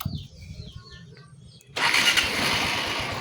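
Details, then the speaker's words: Honda XR150 after a replacement clutch body and balancer damper were fitted, at start and idle with throttle blips: quiet ticking, then an even, rapid idle; the earlier clutch-side rattle is gone. "So kanina maingay nung pagpaandar pa lang natin. So dito goods na."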